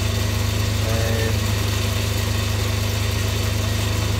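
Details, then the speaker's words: Myford ML7 lathe during restoration, power feed engaged through the change gears, which have no grease and only old engine oil brushed on: an even hum with a regular gear pulse and no knocks or grinding. The feed works fine. "I should have checked the the engaging bever before I Engage The change Wheels but that's working fine I'm quite happy"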